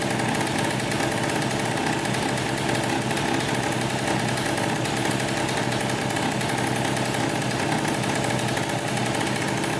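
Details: 2003 Polaris Sportsman 90cc two-stroke ATV after a new top end (piston, cylinder) and oil pump, run with the oil line off to check pump feed. Fast, even buzz with no misses, knocks or rattles; the pump was confirmed working and the engine is healthy.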